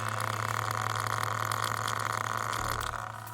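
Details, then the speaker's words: Marx Jubilee model train locomotive, microphone placed down by the train, before brush replacement: steady whine with crackly, welding-like sizzle; worn brushes not making contact, sparking on armature. "all right, do you hear that kind of welding, welding type sound? Maybe you've never welded, but that's kind of what it sounds like. And what it's doing is those brushes are just not quite making contact."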